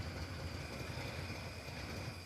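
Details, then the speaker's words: 1960 Chevrolet El Camino V8 in Texas, first fire-up after 30 years off the road: steady low rumble at idle, no knocking, misses or smoke; old V8 running evenly, normal idle. "This sounds great. It's not knocking. It's not smoking."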